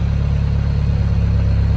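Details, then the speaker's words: Toyota MR2 turbo four-cylinder engine after rebuild, formerly stuck rings and a smoking breather, over 500 hp: even steady low idle with no misses, knocks or ticking; no smoke, quiet now, normal idle. "Right, the engine is running. There is no smoke. There is nothing from the breathers, unlike the steam train it used to be. And it's quiet now."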